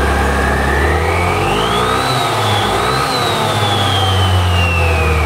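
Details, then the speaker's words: Yamaha All New Nmax 155 on stand with upgraded CVT (13.8° machined pulley, double clutch bell, 10/13 g rollers, PCX 1500 rpm CVT spring): whirring climbs, holds high, falls smoothly as revved; normal CVT revving. "Nah jadi seperti ini suaranya guys kalau udah upgrade curian"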